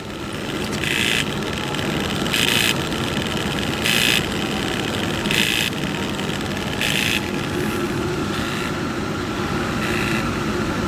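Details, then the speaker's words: New DJI Phantom 3 Professional camera gimbal, constant buzzing bursts every ~1.5 s with gimbal motor overload warning and blurry video, present since day one; gimbal motor overloaded. "okay that's what I'm getting all the time gimbal motor overload and you can hear it"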